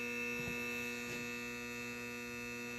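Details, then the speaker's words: Gas furnace that won't ignite: the damaged vent damper motor gives a steady electrical hum with a sharp high tone; 24 V present, safety switch also suspected; vent damper faulty. "si es que se escuchan como que hace un ruido algo raro"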